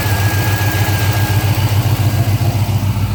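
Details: 2005 Pontiac GTO V8 at steady idle: a fast, even tick of about three or four a second over the low rumble; owner unsure whether it is a lifter tick or an exhaust leak.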